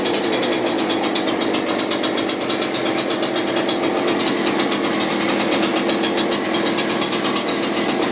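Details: McCulloch two-stroke grass strimmer rescued from a tip five years ago, running after repair with a homemade lock nut on the head and less choke: high, even buzzing held steady with a rapid regular beat; runs normally.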